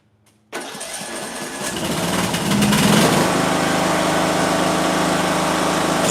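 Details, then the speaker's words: Small mower engine with ignition coil air gap at 0.050 in versus the recommended 0.010, blades engaged for load: catches and settles into a steady, even beat, holding speed smoothly; still running like a champ. "Wow. 50,000. Nothing. Still running like a champ."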